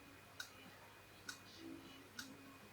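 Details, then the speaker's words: Laptop hard drive, reported by engineer as knocking inside, connected to a laptop: sharp cyclic clicks about once a second, never reads and is not detected, extra power changes nothing; click of death, head crash. "клацает циклически и наши устройство на ноутбуке не определяется"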